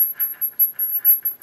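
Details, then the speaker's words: D5 water-cooling pump with Bitspower dual pump top, spinning with no coolant while filling the loop: thin steady high whine with rhythmic scratchy screeching squeals; pump running dry, needs water to lubricate its self-lubricating ceramic bearing. "this means the pump is dry and there still no water it time so basically if you hear like really screeching noise like"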